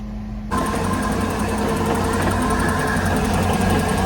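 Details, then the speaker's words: 2006 MerCruiser 6.2 MX boat engine at first start after replacing the exhaust manifolds, risers and elbows and flushing the cooling system; it settles into a steady, even idle with no puffing or ticking. Healthy, with no exhaust leak heard. "all right we are running sounds pretty good I don't hear any exhaust leaks which is good"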